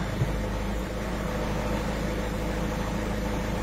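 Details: Peugeot 207 SW 1.6 HDi diesel after injector seal repair and cleaning: steady, even low hum with no misses, hiss or ticking; idling smoothly and healthy.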